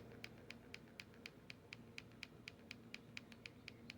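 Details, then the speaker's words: Differential after moving a 0.2 shim from one side to the other to set pinion and ring gear depth: light crisp ticks about four a second as gears are rocked by hand, slight play; pinion mesh just right. "That's the pinion gear back there. That tells me that the mesh is like just perfect."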